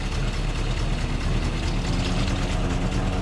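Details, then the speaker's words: Off-road truck after being sunk in about 4 feet of water, idling while refilling transmission: churning, uneven whir under the engine note as the torque converter cavitates from low fluid; fluid draining out milky. "You can hear that torque converter cavitating because it's low on fluid."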